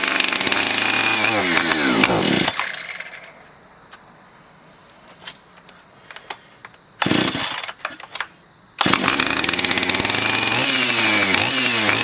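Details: Husqvarna 460 chainsaw, damaged by the customer's cheap 2-cycle oil, after a new piston and cylinder: fires up and revs cleanly, drops to quiet, then restarts and pulls high revs smoothly with no misfire; fresh top end running healthy.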